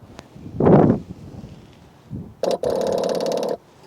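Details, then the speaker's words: New cheap clicky-clack electric fuel pump for asphalt roller no-start, bench-tested on battery: short burst of rapid, even clicking and clacking, unlike old pump that only clicked; pump working normally. "That's what a clicky clack is supposed to do. It's supposed to click and clack. That one only clicked. So, that's good."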